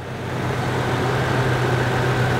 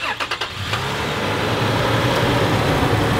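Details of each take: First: Old Toyota 4Runner with 386,000 miles, idling for comparison with a noisy new 15,000-mile 2020 4Runner: low smooth even idle rumble with no ticking or valve train rattle; quiet, healthy engine. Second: Brand new Toyota truck engine with 15,000 miles, cold start: catches after a few cranks and settles into fast idle with a light ticking valvetrain rattle, present since new and worse when ice cold; cause not confirmed.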